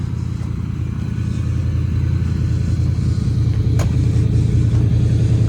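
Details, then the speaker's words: Mid-80s lowered Chevrolet Silverado square body, after much work: smooth, steady low rumble building gently with revs, even firing with no knocks or ticks; engine running healthy. "Sounds good. We had to do a lot of work to that."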